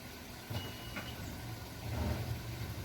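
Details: Nissan Versa with transmission range sensor codes P0705/P0706, customer complaining of hesitation and flashing check engine light, checked while shifting through gears after harness testing: quiet, even low idle, no knocking or whining; normal.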